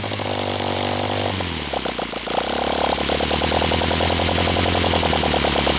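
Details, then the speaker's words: OS FT 120 II glow engine on first run after rebuild, Omega 10% fuel, OS F plugs, Master Airscrew 16x8 prop, warm day; picks up from lumpy idle into crisp, even high-pitched buzz without sagging or misfiring; runs nicely, normal. "as you can see it runs in it runs damn nice sounds like a jewel runs like a champ it's a freakin OS what do you expect"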